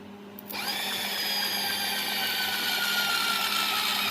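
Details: Honda Dream Yuga petrol engine after major service, starter fed directly from a battery to test oil pump: high steady whine spinning up in half a second, even pitch without grinding; oil reaches rocker arms, pump working properly.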